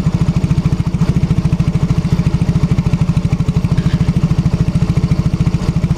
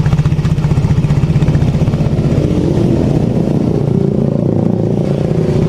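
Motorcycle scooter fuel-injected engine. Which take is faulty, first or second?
first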